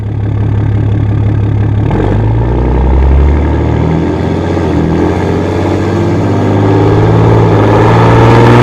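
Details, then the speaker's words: Dodge Ram 6.7 diesel on a road test after replacing the exhaust pressure sensor for code P0472 and a weak exhaust brake. A deep, loud steady drone with a firm low exhaust note: the exhaust brake now pulls strongly, working normally. "On the old sensor you could still hear the exhaust brake coming on, you could hear the change in the exhaust, but really there was no slowing the truck down, it was just sound. So hopefully we get more sound and it actually works this time."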